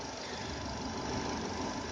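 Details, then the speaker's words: Restyled Renault Duster 2.0 petrol at idle with the oil dipstick inserted: even, quiet, smooth hum with no knocks; healthy, as the bearing-like noise appears only with the dipstick pulled. "Двигатель шепчет."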